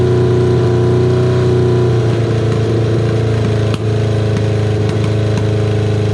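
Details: Kawasaki KZ550, carburetor just reassembled with air screw set about half a turn out, cylinder one idling poorly only at idle: uneven lumpy idle hunting around four pulses a second; intake vacuum leak from a split intake boot.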